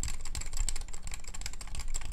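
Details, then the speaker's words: Ace Pad Tech Hall-effect magnetic keyboard, typing with tall, thin keycaps: fast, irregular, bright, hollow, plasticky high-pitched clacks, loud because the caps amplify the noise; shorter, thicker caps are quieter. Loud keyboard switch noise. "The switches don't sound particularly good though. It's a rather plasticky, high-pitched sound, and it's quite loud due to the tall, thin keycaps which amplify the noise."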